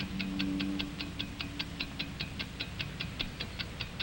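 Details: 1949 wind-up watch: crisp, even ticks about five per second with soft music behind; escapement beating steadily and healthily, normal watch ticking.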